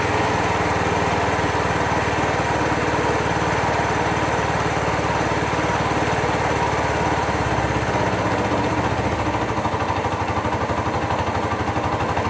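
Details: 2001 Suzuki GZ250 single idling with sharp, slightly uneven ticking puff each firing: exhaust leak remaining after a new gasket; lean-running engine with bluing front pipes, plucks when choke backed off.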